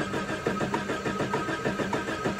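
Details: Engine cranking on an experimental setup: a Jaycar/Silicon Chip ignition timing module coupled to an old 1970s CDI box. Steady starter churning at about five pulses a second, never firing; crank, no start. Cause not confirmed.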